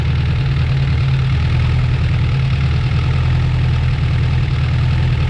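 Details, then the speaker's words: Honda Prelude, freshly rebuilt engine (new pistons, rings, bearings, one new rod; Cometic head gasket) at first start-up idle: deep steady idle with a faint quick tick each turn from the head, quieting as oil gets in; valve lash ticking at idle. "What do you think there, Brett? Rad. Yeah, just a little valve blast. That's the noise in the head there."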